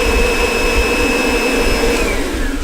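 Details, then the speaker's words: Kirby shampooer with the mesh filter installed and soapy water in the tank: steady, even motor roar with a constant high whine, no surging or rattles, producing plenty of foam. Normal running. "now we got a whole bunch of foam, and that's how it works."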